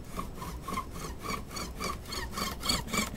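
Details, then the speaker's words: Pole lathe boring the pilot hole of a bagpipe chanter: rhythmic rubbing with a faint high squeak on each stroke, the signal to stop, clear chips and retract the bit; the bit rod should be fully oiled. "si trapana finché non si sente cigolare e adesso non so se si sente il cigolo è veramente è veramente piano però adesso provo a avvicinare si sente un cigolo che segna"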